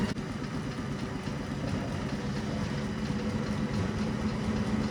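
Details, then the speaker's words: Circa-1932 Bennett Model 450 twin clock-face gas pump, a California barn find idle over 40 years, right and left pumps on (belts shredding): steady even motor hum with a faint beat about four per second, no knocks or grinding; sounds healthy. "Right hand pump on. Left pump on. She sounds healthy."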